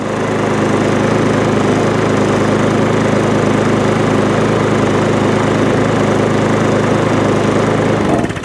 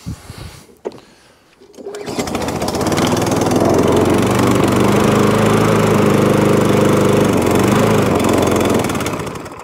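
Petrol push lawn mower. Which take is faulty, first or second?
second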